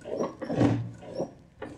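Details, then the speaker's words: Neglected piano owned since childhood, sustain pedal lifting dampers: dry crunchy grating in short bursts as individual dampers move non-uniformly, with dirt inside; crunching damper action, cause suspected, not confirmed, restoration needed. "the actual dampening okay it's crunching but what is interesting is that the [Music] the damper well the dampers themselves that each individual damper is not moving uniformly"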